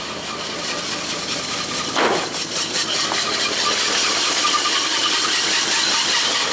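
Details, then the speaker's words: AMC 401 V8 in 1976 Jeep Cherokee Chief, muffler refitted, running after revival: even idle, steady exhaust note, no whine or grinding; water pump bearing sounds healthy, lifter tick not heard this morning, no smoke. "pump bearing sounds awesome you know I don't actually hear the lifter tick this [Music] morning that's okay with me"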